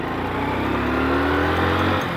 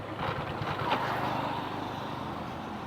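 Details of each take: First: Motorcycle that stalls when slowed in too high a gear: after slowing to about 10 and downshifting two gears, the engine note climbs smoothly with no stumble or dying, picking up cleanly. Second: Motorcycle slowed on a slight slope while left in fourth gear, engine chugging low and uneven as speed drops, then fading out; stall from lugging in too high a gear instead of downshifting.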